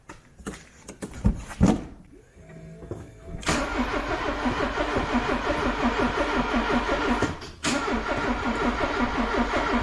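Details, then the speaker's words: Cheap classic Porsche on a weak battery with a dodgy key barrel, cranked with a little throttle: a steady starter churn of about three turns a second that never catches, and no fuel pump prime heard. Owner suspects the pump isn't priming; crank, no start. "I don't think the fuel pump's priming. If you listen, you don't hear no prime of the fuel pump, but there we go, it cranked."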